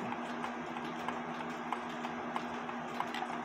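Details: Seth Thomas clock with verge and crutch assembly: crisp, even tick-tock at about three beats a second, after the tight crutch foot was opened up to give the pendulum leader wire room to bounce. Clock is in beat and running properly.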